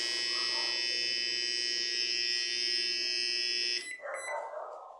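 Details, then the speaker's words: Microwave, cover off, loud steady buzz with harsh high edge only when timer runs, then cuts off; control board and power relay already replaced, persists with only transformer and capacitor connected, suspected transformer or capacitor, unconfirmed. "esse rel aqui de potência tá já troquei ele e continuou fazendo o mesmo barulho eu vi aqui Tem tudo aqui ó deixei só o o transformador e o capacitor e continua o mesmo barulho"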